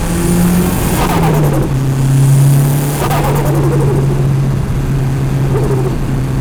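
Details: Mitsubishi Evo turbo engine, recorder in engine bay: engine note climbs, each throttle lift brings quick fluttering chatter over dropping pitch; compressor surge with blow-off valve blocked.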